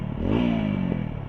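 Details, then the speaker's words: TVS Apache 200 after repairing a loose inner pipe inside the silencer, tested after a 1-2 km ride: a smooth quick rev with a clean exhaust note and no rattle, buzz or leak; the silencer noise is gone. "बिल्कुल okay भाई आप सुन सकते हो बिल्कुल भी आवाज नहीं ए रही है"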